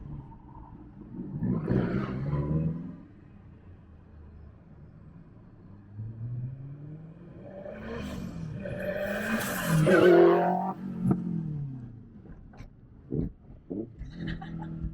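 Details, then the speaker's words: Modified Lotus Elise with K-series engine, possibly around 510 to the wheels, passing twice: rising then falling loud roar as it spools, with a distinct transmission whine over it. Loud transmission whine. "this is so much louder I think it's making like maybe 510 to the wheels right now with with his K series but man it spools up and she is loud"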